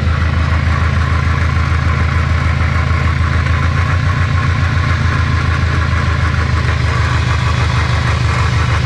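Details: Subaru STI 6-speed gearbox jacked up after loud drivetrain noise; heavy rumbling drone and whine with a rough fast pulse as the drivetrain spins, owner suspects a failed gearbox or transfer case bearing, unconfirmed.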